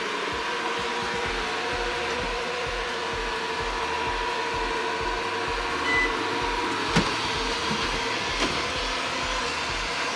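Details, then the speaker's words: Eufy RoboVac 11 after fixing a stuck roller brush and fitting a new battery, a week of use: steady even motor whir with light brush hum, no catches or rattles; working perfectly, about 2 hours per charge. "I've been using it for a good week now and had no problems at all. Runs for about 2 hours before the battery dies down. It's working perfectly."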